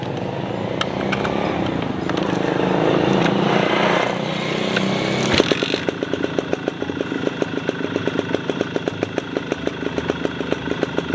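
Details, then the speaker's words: Suzuki RC100 two-stroke, oversquare 52.5 mm bore by 46 mm stroke, tuned stock and economical for daily use, still cold, recorded on a tripod: revs with a raspy buzz, then drops to a crisp, even popping idle; it runs normally. "ini mesinnya itu saya setel standar irit enggak boros-boros amat karena bo dipakai buat harian ya"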